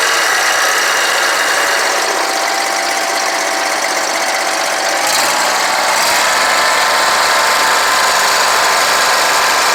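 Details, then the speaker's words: Scag Tiger Cat II mower, Kawasaki FX691V V-twin, after repairing bent push rods, broken rocker holder on cylinder 2, stuck choke and clogged fuel filter: cranks, catches, holds steady even beat with no misfire or backfire; normal running. "So she's 100% better."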